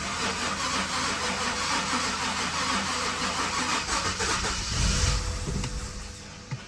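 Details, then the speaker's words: 5 Series start attempt after oil probably leaked onto exhaust, repeated tries; long steady cranking about three turns a second, briefly catches with a surge then dies; extended crank, no start; owner suspects it needs gas, later got running. "It's like you need to give it gas. That's what I'm thinking, because it keeps dying out."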